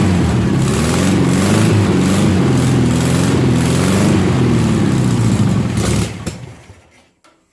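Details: 1972 VW 1200 Beetle flat-four, 48 years old and laid up for decades, run sitting on a tire with a starter switch after priming via accelerator pump; fires up and holds a strong, steady run for several seconds before switching off, no misfire.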